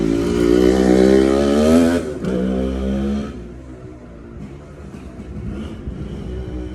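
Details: TC125 two-stroke dirt bike after a carb clean and a new fuel line with filter, on a cold day: crisp buzz rises cleanly with throttle, then drops to a light burble off throttle; pulls strongly, runs healthy.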